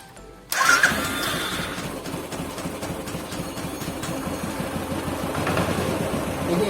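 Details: Royal Enfield Thunderbird single-cylinder idling with an uneven metallic clatter coming from the clutch cover area, heard before repair; clutch cover rattle at idle.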